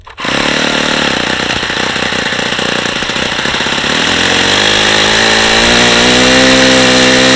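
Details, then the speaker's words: Vintage Saito FA-45 (circa 1983, ringless, two-piece head), well-worn but strong compression, run on a stand with a lightweight prop: it climbs in revs with a harsh, gritty rattle over the exhaust from very bad crankshaft bearings. "really bad you can hear how bad those bearings are this engine is not in great shape"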